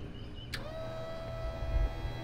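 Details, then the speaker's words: Modified Harbor Freight 670cc V-twin (about 55 hp) on a drag rail, reassembled after sitting: a click, then a steady mid-pitched whir as the electric fuel pump runs and primes normally. "there you go i can hear it working"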